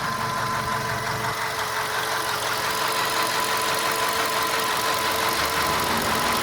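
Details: VW Golf 5 idling with a steady clacking knock, roughly three a second, over a busy mechanical hum; source of the engine knock not yet identified.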